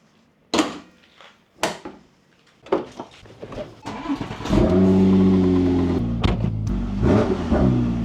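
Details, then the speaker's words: Porsche 996 911 Turbo, over 20 years old, after a stereo upgrade with a Kenwood amp: engine cranks, catches and revs smoothly with no alternator-type whine in the speakers, after the amp ground was moved to an unused ground point. "that might have fixed it I don't hear anything in here let me put the windows up"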